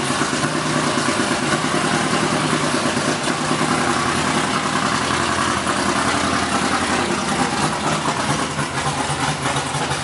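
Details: BMW E46 Formula Drift Pro 2 car with CBM Motorsports engine, first fire, idle being adjusted: loud, lumpy, loping idle like a boat; too little base idle air, so a hole will be drilled in the throttle body.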